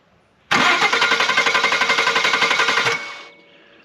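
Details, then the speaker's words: 2015 Ford F-150 2.7L EcoBoost no-start: starter relay terminals jumped, engine cranks strongly and evenly for over two seconds, proving starter and solenoid good. "right so obviously our starter and our solenoid are good because you just heard the engine crank over again"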